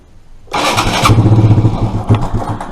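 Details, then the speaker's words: Suzuki Address fuel-injected scooter: engine catches and fires unevenly for a couple of seconds, then falters and won't hold idle. Stalls shortly after starting; owner suspects a stuck throttle body and is looking for an inline fuel filter. "I think it's stuck because when I start it it only runs for a couple of seconds really"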